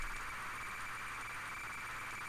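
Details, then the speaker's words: ZX Spectrum cassette loading Flight Simulator from an old tape: a harsh, ragged screech with noisy hiss around 1–2 kHz. The tape data is corrupted, so the load did not finish. "hear some just war sounds horrible no wonder it didn't finish loading gosh that sounds terrible"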